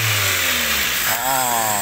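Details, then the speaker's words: Toyota Avanza after an electric fuel pump fix; it previously hesitated with very low rpm. Idles at 700 rpm, and with the AC compressor on the revs pick up smoothly and drop back cleanly. Normal revving with AC on. "sekarang kita hidupkan icon ini normal dalam RPM 700 kita hidupkan Icon RPM naik kita tengok kompresor"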